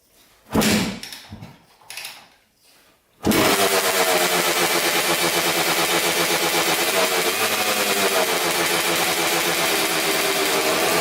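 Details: 2000 Suzuki RM250 two-stroke (249cc), unrun two years, fresh premix fuel, cleaned carb, good compression: a few kicks then it catches into a constant very loud harsh crackle; big split in the expansion chamber blowing exhaust, needs welding.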